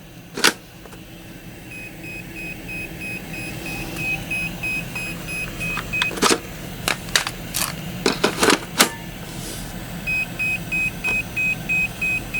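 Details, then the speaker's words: Makita cordless power tool whose factory batteries had all died and would no longer charge: scattered clicks and handling knocks, then repeated short high-pitched beeps coming and going; battery warning beeps when out of charge. "So I completely ran out of juice right in the middle of my project. Had me a little bit bummed out because I knew these batteries were extremely expensive. I mean, there's nothing worse than being in the middle of your project and hearing this sound."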